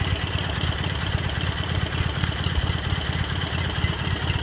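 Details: Cub Cadet 782 garden tractor with 42-inch snowblower and hydraulic lift, just rebuilt, repainted and reassembled, started after sitting a couple days: even, steady low thumping at a constant pace, no misses or knocks; normal healthy idle.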